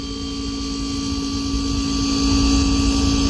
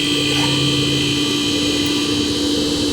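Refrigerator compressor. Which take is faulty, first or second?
first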